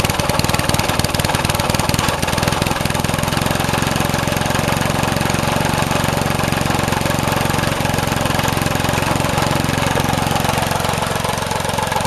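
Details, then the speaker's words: Vintage Craftsman 18" snowblower, rebuilt 3.5 hp Briggs single-cylinder, just cold-started: stumbles when revved, choppy uneven beat and faltering firing; owner says the carb needs adjusting. "It does need the carb adjusted a little better. I'm going to work on that."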